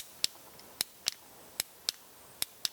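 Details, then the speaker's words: RV on-demand water pump pressure switch, plunger/diaphragm pressed by hand: sharp crisp clicks, about seven in three seconds, as the switch snaps over cleanly to open and close the circuit; normal switch action. "the plunger or or this diaphragm is gonna move and it's gonna actuate this switch so here you can hear when i'm depressing the switch"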